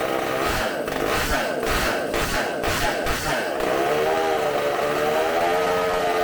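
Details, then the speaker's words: Bench test of a supercharged McCulloch two-stroke chainsaw engine, carb cleaned and new gaskets, running off tank fuel: hard raspy scream at high revs, even note, background noise; runs fantastic, consumes fuel very quickly. "You're gonna hear me a lot of wooing and stuff because I'm shaking, but that runs fantastic. It eats up so much fuel so quick."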